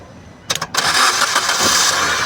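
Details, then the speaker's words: Maruti Ertiga with no-crank no-start fault, started by jumping a wire from battery positive to the last pin: a couple of quick starter turns, then catches straight away and runs steady and even. "देखिए गाड़ी start हो गई sir."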